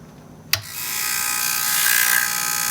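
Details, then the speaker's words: Atlas Sound CP400 two-channel commercial 70 V amplifier at power-on: a click, then a fast, high, steady buzzing chatter, possibly from the speaker protection relays; both channels' protection lights on. "so that humming or chattering sound really to me sounds maybe like some relays there would definitely be speaker protection relays"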